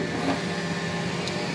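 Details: Bambu Lab X1 Carbon AMS, after removing a broken filament piece stuck in the filament detection sensor: steady smooth motor hum and soft whir as white filament feeds in; normal filament loading.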